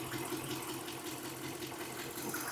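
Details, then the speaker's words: 2013 Jeep Grand Cherokee 5.7 V8, about 160,000 miles, coil pulled during misfire test: low lumpy uneven idle with soft tapping; misfire from dead cylinder. "There it is running bad. And I'm wondering why somebody put this one on."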